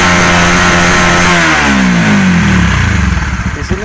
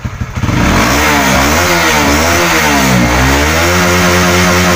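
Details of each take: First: Honda CB150R, no MIL code, stumbling at low and high rpm: revs climb then turn uneven at the top, fuel-starved misfire as fuel pump pressure drops from 30 to 20 when throttled; tank to be checked for water/dirt. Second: Honda CB150R after a service with a new fuel filter, fuel pump pressure near 40, fixing stuttering at high and low rpm: clean blips rise and fall smoothly with no stumbling or popping, and idle is normal.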